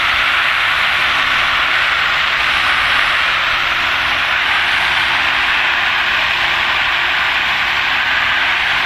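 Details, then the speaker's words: 2023 Darley quint, LDMBC 1500 GPM pump with a 220 CFM rotary screw compressor and FoamPro 2001 foam system. Compressed air foam from a Sabre jet nozzle's 1 1/8-inch smooth bore tip, about 50 gpm: steady, smooth hiss with no surging or sputter. Normal. "So there you can hear the compressed air foam."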